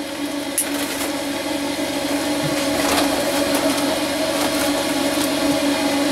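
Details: Laika Ecovip 200 I motorhome cooker hood fan after repair: an even, steady hum with a smooth airy rush and no scraping or rattle; the fan runs normally.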